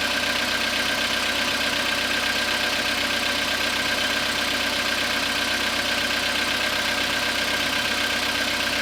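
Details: Skoda Rapid 2014, CFNA 1.6 engine, cold start after overnight parking at −0.5 °C, 27,630 km: steady cold idle with an even light tapping about four times a second over the engine; engine knock, source not yet clear.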